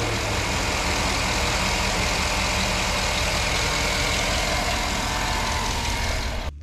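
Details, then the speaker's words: Smooth, even V8 idle from a 2008 Chevrolet Tahoe 5.3L with AFM/DOD at 187,000 miles, after replacing the oil pickup O-ring (the noise was not lifters); steady low rumble with no knock or tick, as quiet as before. "it's not um making any sort of noise that you would think that the engine is about to blow up or the lifters are gone or anything else it's quiet as it was before"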